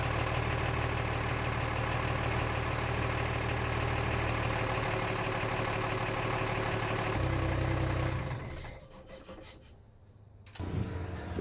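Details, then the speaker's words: Lehman 120 six-cylinder marine diesel just after a fuel filter change: even clatter at idle, steady beat without skips, then winds down; early misfiring cleared, all six cylinders firing. "Alright, had a little bit of misfiring, but it seems to have cleared itself out and sounds like all 6 cylinders are firing at idle now."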